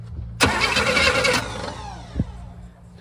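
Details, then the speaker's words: Chevrolet Nova project car after sitting for years, first crank attempt after seeming locked up: starter spins engine steadily about a second with even compression beats, no binding; normal cranking, though no spark found yet. "turns right over. It turns right over great. Yeah. It sounds good. Yeah. We just get some spark. Dude, compression sounds nice and equal."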